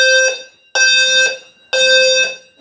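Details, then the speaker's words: Home fire alarm system test triggered by smoke: sounder strobe gives shrill steady tone pulsing about once a second, even and strong; sounder working normally, relay shut furnace down. "the Sounder strobe here is good this ceiling mount strobe in the fire panel room is working"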